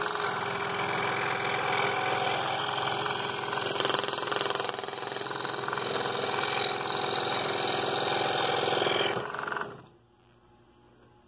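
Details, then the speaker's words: Scroll saw making a roughly 90-degree turn in half-inch walnut: fast, even buzzing chatter, then it winds down and stops. Normal cutting. "now keep the pressure off the front of the blade as you're turning but keep the blade moving up and down"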